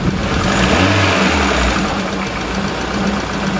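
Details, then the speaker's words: 2002 Kia Visto after cleaning and resealing the idle speed control (ISC) valve, AC switched on: steady, even idle with constant low hum, no hunting, dips or vibration after a throttle blip; idle holding well. "coba kita nyalakan AC ya teman-teman kasih nyala Agas masih stabil tidak ada getaran waktu kita mati nasi"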